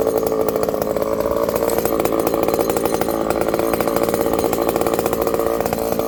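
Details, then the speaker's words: Ported Homelite 922 chainsaw after clutch and fuel line fix and cooler heat-range plug, cutting very hard wood with punky spots: high steady two-stroke scream holding speed through the cut, no bogging or surging; runs strong and clean. "Well, I'm much happier. I wish this tree was a little sounder. Again, we're not hiding anything. It's a work saw and we're doing work with it."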